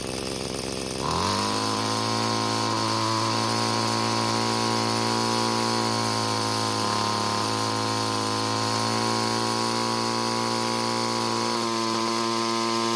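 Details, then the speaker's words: Curb-found free Bolens two-stroke string trimmer: engine buzzes high and steady near full throttle with slight pitch sags; turning the fuel adjustment screw counterclockwise never found a peak speed, only the point where it slows slightly; top speed stays low. "so so so so what i did was i turned the screw counterclockwise to find when the engine was running the fastest but i was never able to find it"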